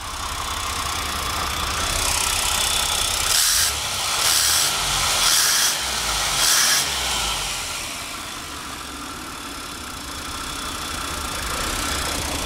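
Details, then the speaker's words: GMC Safari van at a steady, even idle with a few brief hissing bursts right after a fuel injection flush service; it already runs noticeably smoother. "I can already tell quite a bit smoother"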